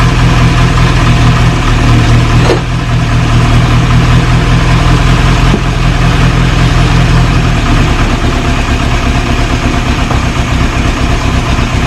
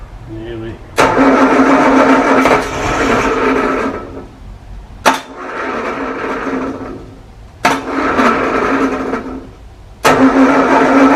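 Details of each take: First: 1937 Morris 8, 918cc pre-war engine, first start during recommissioning on choke with fuel added to resealed carburettor: steady low idle with even, slightly loping beat, no knocks or squeals; running cleanly, oil pressure rising to about 60-75 psi. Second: 1937 Morris 8, 918cc pre-war engine being recommissioned, carburettor resealed, battery charged: repeated bursts of steady starter churning, no catch; owner thinks diesel put down the bores oiled up the plugs; cranks but no start.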